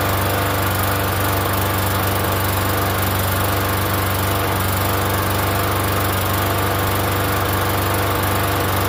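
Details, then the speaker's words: Free Yard Machines 21-inch self-propelled mower, primer-style engine about 10 years old, unused for over a year, first start: smooth constant drone, even beat, no surging or sputtering; runs surprisingly well. "that's actually pretty good. I wasn't expecting it to run."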